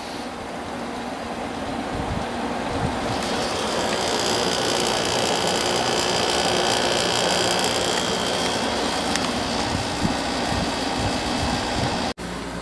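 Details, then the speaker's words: Quasar window air conditioner started on low in a cooler part of a roughly 70°F basement; compressor starts, then a steady hum with even fan rush, no knocking or rattling, normal compressor operation. "I'm going to start up the Quasar now. Compressor did start. We'll leave it on low."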